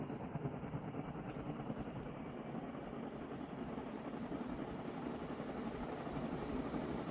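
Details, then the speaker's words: Vintage Dayton 4C721 60-inch industrial ceiling fan with cast-iron motor and aluminium blades, at high speed: soft, steady whooshing with a gentle blade beat, no grinding or rattle; bearings good, normal running. "so okay so that one's bearings are pretty good"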